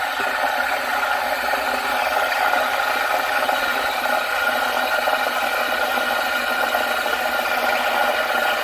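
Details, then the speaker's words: DeLonghi ECP3420 espresso machine steaming 2/3 cup of refrigerated 2% milk, wand tip just under the surface: a steady, even airy hiss without gurgle or shriek. This is normal foaming; too deep hisses, too shallow gurgles. "Just put the wine just under the surface of the milk, and we'll turn on. That's the sound you want to hear when you're doing milk."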